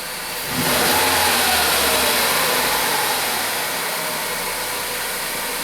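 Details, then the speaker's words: 2013 Ford Focus with a no-acceleration fault, codes P2127 and P060D, after repair: it revs cleanly from idle without stumble or hesitation, with no more misfire. "no more misfire it sounds good yeah"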